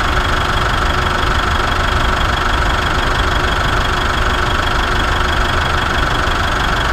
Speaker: that's how it should be awesome